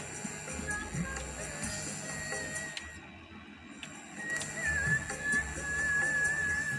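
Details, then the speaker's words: Amplifier tested after replacing Toshiba final power transistors: music faint and quiet with heavy steady hiss; one channel louder than the other, balance potentiometer also suspected faulty. "Tapi suaranya pelan, masih banyak desisnya."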